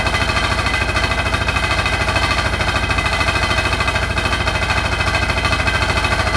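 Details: Hotpoint NSWR843C washing machine on final 1200rpm spin: a hard, fast rattle at an even beat over the high spin roar; the cause of the loud rattle is unknown.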